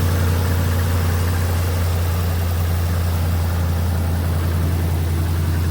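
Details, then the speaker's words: Ram 1500 started in about −20° winter cold after fuel pump replacement and a popped ignition coil fuse was fixed: quick fire-up, then a steady, even low idle rumble with no misses, knocks or whine; normal idle. "Good to see. That was a nice quick fire up."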